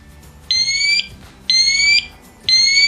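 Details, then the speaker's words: ELRO Connects smoke detector, linked to the K1 connector, being tested: its button is held five to eight seconds and it sounds shrill high-pitched beeps, half a second on and half off, repeating once a second. "so what I do I press it for five to eight seconds you will hear the smoke detector will give the alarm now"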